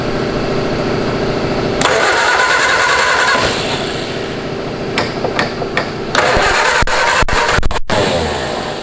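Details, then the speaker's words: Home-built canoe hot rod with 1953 Ford Anglia flathead engine, first run after 47 years, in neutral, new plug: catches and runs with a steady, fairly even beat, no misfire or clatter; runs smooth. "it actually runs it smells it nice smooth these old flat heads run so smooth"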